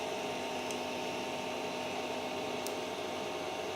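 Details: Creality CR-10S 3D printer after fitting steel-and-rubber NEMA 17 stepper motor vibration dampers, Z raised 10 mm then X and Y moved: a soft, even hum with faint steady tones and no clatter. Barely any noise compared with before, quiet motion.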